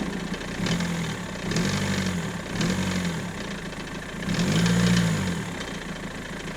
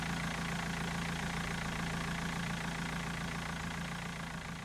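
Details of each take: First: BMW M47 diesel idling: an uneven, pulsing knock-rumble that swells every second or so, seemingly near the steering pump; the owner feared the timing chain, but the cause was a worn crankshaft pulley damper. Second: BMW M47 diesel idling with the accessory belts removed to isolate a noise: steady, even clatter with a smooth rhythm and no knock; sounds good, a normal idle.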